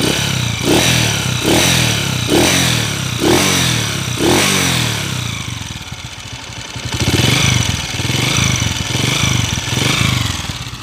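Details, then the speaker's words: 2010 Honda TMX155 motorcycle idling in neutral: repeated sharp blips with a loud clattery rattle rising with revs, then a rough idle, with white smoke from the exhaust. A worn, scored cylinder bore needs a rebore. "Yano po yung andar mro malk tapos may miaw miaw may miaw miaw pag nasan natin na naka neutral may mmw"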